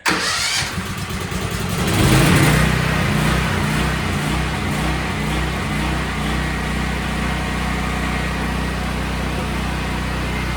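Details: Brand-new Briggs and Stratton generator, 3.9 hours, that surged badly (carburetor clean; fuel cutoff solenoid wire suspected), started on choke after repair: brief crank, catches at once, steady even idle with no hunting; surging fixed.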